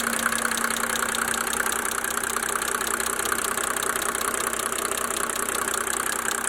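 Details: 1987 Mercedes-Benz 300D Turbo diesel (603 engine) idling during Liqui Moly diesel purge; even clatter, steady about 2.5 beats per second, no misses; normal settled diesel idle.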